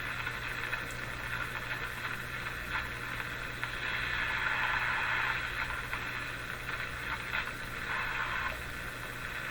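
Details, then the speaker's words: 1935 Rogers Model 7R622 tube radio during alignment, tuned to the very low shortwave band: steady hiss and crackle with a low hum and no stations; normal static, the receiver is working. "well it certainly sounds like it's working tuning in junk"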